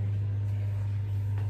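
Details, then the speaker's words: Dishwasher that was not draining, running after the filter was cleaned and reassembled. A steady, even low pump hum without surging, grinding or gurgling; normal running. "I mean the first but sounds normal I just hope that it's not leaking or anything but I put everything back sounds good"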